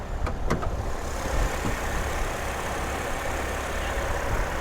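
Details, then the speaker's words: Well-maintained car with an Ecotec engine, no check engine lights and AC on: steady, even low idle hum with no ticking, knocking or misfire; it runs good and quiet, with good coolant and no blow-by. "We got your little Ecotech. Runs good, it's quiet."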